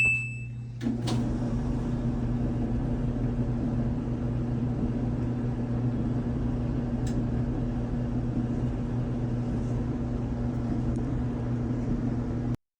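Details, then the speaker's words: New scratch-and-dent Samsung dryer after grinding-noise repair and reassembly: steady low hum from drum and motor, quiet, no scraping or rubbing; runs normally. "And pretty soon you'll hear the sound of the dryer. It's nice and quiet."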